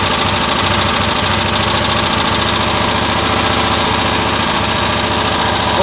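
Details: 1972 Cushman Truckster, small engine revved with the air filter off and spark testers in line on a cool day (about 8°C); uneven, stuttering break-up, still misfiring around 3000 rpm after new coils, though the spark looks more consistent. Cause unknown.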